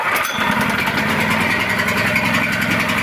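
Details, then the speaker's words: Gasoline portable generator started cold on a cold day with the choke closed: a small engine runs fast but unevenly, its beat stumbling as if misfiring, until the choke is opened. "чуєте Він працює так ніби троїть"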